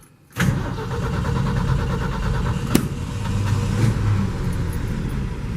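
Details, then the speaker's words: Ford F100 with 300 inline six; brief crank catches almost instantly into a smooth, even idle with steady low rumble; quick, healthy start, owner says it runs like a sewing machine. "Pretty quick. Got a 300 inline in it, which I will have to say runs like a freaking sewing machine."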